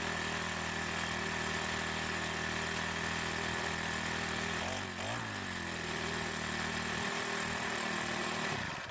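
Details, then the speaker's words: Troy-Bilt 4-cycle edger that wouldn't start, after priming gas into the carburetor throat: steady, buzzy run with one brief dip in speed, then clean shutoff; starts and runs fine, carburetor may still need attention. "I let the engine cool back down and I tried starting it one more time and it started just fine."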